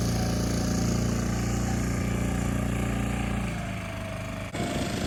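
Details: 6.5 hp Hangkai four-stroke outboard under way after its flooding carburetor was replaced with a modified Yamaha 6 hp carburetor and the fuel line primed: smooth, even low thrum with no misfire, knock or surging.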